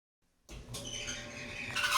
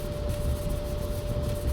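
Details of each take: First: Maytag Bravos XL dryer (model MEDB855DC4) running with a loud, wavering high-pitched screech that swells and fades as the drum turns, caused by a worn idler pulley; fix is idler pulley replacement. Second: Maytag Bravos XL dryer (MEDB855DC4) after lubricant was sprayed on the screeching idler pulley, a low even drum rumble with a faint steady tone and no squeal; runs quietly, a temporary fix until the pulley is replaced.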